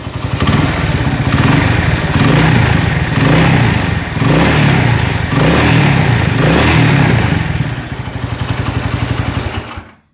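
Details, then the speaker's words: Honda Tiger motorcycle, engine hot, throttle blipped: harsh, clattery roughness rising with revs, popping on deceleration, with vibration at full throttle; suspected scored piston or worn connecting rod. "jadi dia itu kalau digas di naikin gitu di gaspol maka akan seperti piston paidul dan ketemua itu bisa jadi setangnya Lex bisa jadi setang jadi suaranya itu persis kalau sedang kena dan piston baret Kasar banget deh pokoknya Kasar banget"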